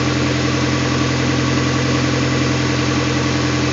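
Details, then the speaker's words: 2001 Honda CR-V 2.0L at idle during a manifold vacuum test. Vacuum was low until the exhaust was opened up; it is now almost 21 inches. Steady, even idle with a firm low hum, a bit loud at the open exhaust but running healthy. "Almost 21 inches. That's much happier. A little noisy, but run."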